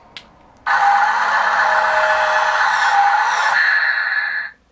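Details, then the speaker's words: Newray RC Volvo A40D model, dump bed motor: small motor whines at steady high pitch for about four seconds after bed reaches lowest point; suspected slip clutch lets gears slip without damage, no limit switch found. "no it sounds like there is a slip clutch or something in the back there so when the bed of the trailer hits its lowest point it just continues used to slide without damaging the gears"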